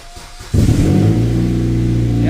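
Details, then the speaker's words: 2005+ Chevy Optra 2.0L that sat for over a year, started on a booster pack after the alternator noise repair: catches after a short crank and settles into a quiet idle with no whine; an exhaust leak remains. "Got no winding sound anymore. That's quiet. Nice. Belt's good. No shakiness. The alternator is quiet."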